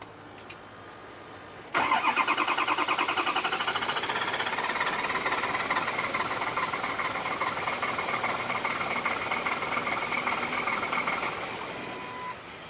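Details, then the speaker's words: Ford 6.0 Powerstroke diesel, 112,000 miles, died at highway speed; fuel pump already replaced. Cranks steadily about 2.5 turns a second, ICP connector unplugged, never fires. Scan showed IPR 85%, ICP 400 psi while cranking; HPOP diagnosed bad. "tries to start up it's like as if fuels not getting to it"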